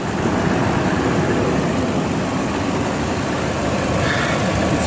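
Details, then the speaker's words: Truck after its hydrolocked engine was replaced with a used engine of about 50,000 miles: steady, even, quiet idle with no knocking; a slight ticking is said to be normal. "here runs way better it's quiet you can hear the ticking of the bow but that's normal"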